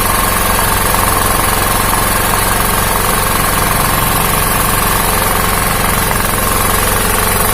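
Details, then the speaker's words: 2000W genset with a Honda GX160 engine, after a hunting idle was fixed by swapping the ignition coil for one from a compressor, with the coil-to-magnet gap set. A steady, even thrum with no surging; it now idles normally. "Oke teman-teman jadi Halo tesnya tidak naik-turun naik-turun lagi sudah normal"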